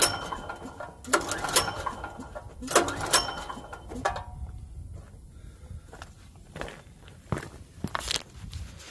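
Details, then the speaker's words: Generac GP5500 portable generator, bought used about a year ago and left sitting; several rasping recoil pulls about a second apart with no firing; cranks but won't start because the tank is bone dry. "all right it's not really starting let's see if we can try something else all right so this is just a lesson just to check your Basics always all right so this thing is bone dry so we're going to get some gas for this"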